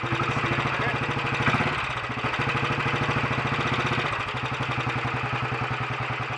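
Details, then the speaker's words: Royal Enfield Bullet 500 single, ported head, shortened aluminium barrel, 9:1 piston, ignition timing strobe-set, known fuel starvation and weak battery: slow, even thump-thump cold tickover, no knock or miss; healthy, idling slow while cold. "we'll take over a little bit faster than that when it's warmed up some more i'm not a great fan of overly slow tick overs on these"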